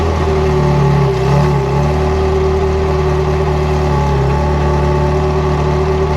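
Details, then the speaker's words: 1994 Euro-spec Ferrari F355 after service: smooth even note while cruising, no stumble at low revs; the earlier hesitation and breakup up to about 1500–2000 rpm is gone. "It had a hesitation pretty much up to about 1500 2,000 RPM. Completely gone. It's running super smooth now."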